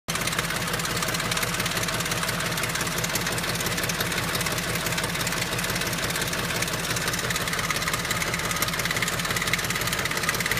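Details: BMW X5 4.6is with the M62TU V8 at idle: fast, light metallic rattle over the exhaust beat, steady at idle; owner asks whether it is VANOS rattle, unconfirmed.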